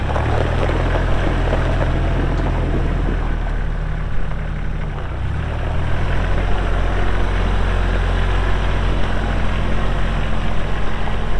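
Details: Kubota L3240 4WD tractor, pre-emissions 32 hp diesel, 94 hours, LA514 loader, gear drive. A steady, even, deep diesel drone with no knocks or misses; normal running.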